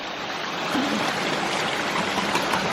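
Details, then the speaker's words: Micro hydro penstock intake during filling: hollow rushing and gurgling with air drawn in, pipe not running full; suspected debris or slight upward pipe section trapping air. "maybe we have some debris trapped in there got some air in this line for some reason"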